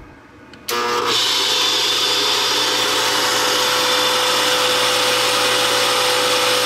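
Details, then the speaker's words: Sta-Rite Max-E-Glas 2 pool pump motor, 11 years of several hours' daily running, starting up with a loud, harsh, high-pitched screech that grows louder as it spins up: worn motor bearings, motor replaced. "you can hear how loud that is. That's the sound of bearings going bad, and as this thing gets cranking, it gets pretty loud."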